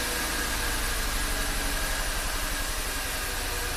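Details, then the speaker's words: VW Tiguan turbo GDI after a new high-pressure fuel pump and an oil change (gasoline in crankcase): lumpy, shaking idle stumbling every few turns, misfire counts on cylinders 2 and 1, P0301/P0302 set. A dead cylinder. "So it only counts at idle, even though it's shaking right now. Well, it did set a 301 and a 302 very quickly. Definitely feels like a dead cylinder."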